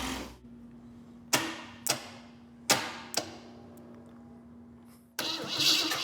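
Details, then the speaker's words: VW bus hot rod with AMC engine on Plymouth frame, different coil fitted: heavy clunks and cranking bursts, then catches and settles into a strong even run with no knock; good engine. "I'm very happy with that. That sounds like a good engine."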